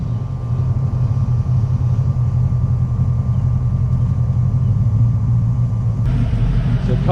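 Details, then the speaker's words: 1986 Mustang GT, first start in over ten years, warm after about 20 minutes running: steady deep idle with low uneven rumble, no knocks; known exhaust leak adding throaty rumble. "we already know about the exhaust leak so right now it actually doesn't sound too bad because it sounds like it's got a nice little rumble to it"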